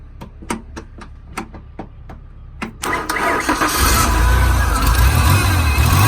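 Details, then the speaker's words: Ford 3.0 V6 from a wrecked Ranger (5-speed), started by jumping the starter solenoid: sharp cranking clicks, then it catches and runs with a rough, hunting idle; no smoke, ticking or knocking. "No smoke, no ticking, no knocking."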